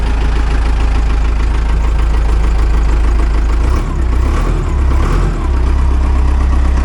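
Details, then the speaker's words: Joystick-controlled auction loader with Caterpillar gauges, good oil pressure: deep steady idle with even clatter, no misses or odd knocks; runs very well. "oh buddy this thing runs really good like phenomenally well"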